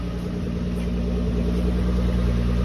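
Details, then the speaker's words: 1979 Toyota Cressida: steady even low idle rumble without stumbles; about one start in ten it hiccups instead, owner suspects a vacuum problem. "once in a while it runs perfectly like this no hiccup"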